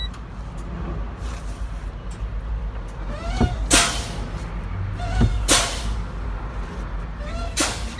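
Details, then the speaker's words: Truck in-cab air brake test, brakes fanned down: repeated sharp air hisses a couple of seconds apart until the low air warning light comes on at 70–72 psi, within the 75–55 spec; normal result. "my lawn and light came on at 70 72 that's a good test"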